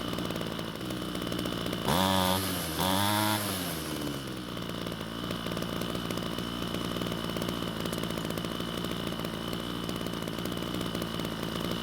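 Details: Ryobi string trimmer, two-stroke, after fuel tank cleaning and fuel system repair, test run: revs up twice, then settles into a steady even buzzing idle; running properly now, attachment found slightly loose.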